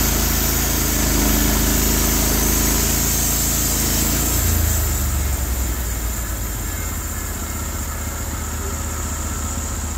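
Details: Norwood HD36 v2 bandsaw mill with new roller guides replacing ceramics, cutting big black oak: steady motor drone, blade settles into even unstrained hum through the cut; cut exceptionally smooth, normal cutting under load.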